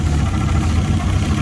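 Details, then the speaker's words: Fiat Punto GT Turbo, unstarted for over 12 months, idling after a few minutes of warm-up: an uneven, chuffing idle whose revs fluctuate when carb cleaner is sprayed. This points to an intake manifold air leak. "so we've got an air leak on the intake manifold somewhere"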